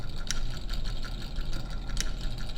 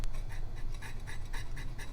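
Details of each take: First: Vintage Signatrol mechanical primary neon sign flasher after repair: steady motor whir with sharp, even clicks about every one and a half seconds; normal flasher operation. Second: Vintage Signatrol mechanical neon sign flasher: rhythmic rasping scrapes about twice a second over low motor hum as the disc, sagging on a worn-through brass shaft bushing, rubs the bottom of the motor housing and hangs up.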